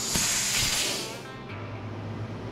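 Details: Free scrap electric air compressor being revived: sharp high hiss over the compressor's low hum, fading after a second, air escaping from a soft brass fitting indented by its internal balls; owner plans to swap in a metal one.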